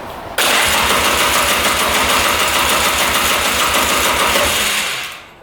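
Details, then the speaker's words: 2002 Polaris Scrambler 400 4x4 ATV with about 110 psi compression (owner suspects worn rings), new spark plug fitted; fires instantly into a fast busy single-cylinder run, holds a few seconds, then dies; owner suspects flooding wetting the plug. "all right so we put a new plug in and it fired up instantly and then died again almost like it's flooding out"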